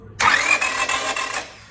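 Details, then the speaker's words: Honda Civic crank-no-start, no spark, injector pulse or RPM signal, distributor cap off: starter spins engine briskly about a second with even light churn and no firing; rotor doesn't turn, broken camshaft. "so what that means the cam shaft which is sitting right below that part so it's broken so and it's broken somewhere here because this guy is moving but here is no activity"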